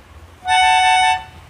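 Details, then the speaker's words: Melodica that sounds a note by itself when blown with no key pressed. A single reedy note is heard for under a second because one key valve is stuck open. "dobel kalau kerusakan seperti ini biasanya ee ada katup yang terbuka ya salah satu katup di not-notnya ini ada yang terbuka"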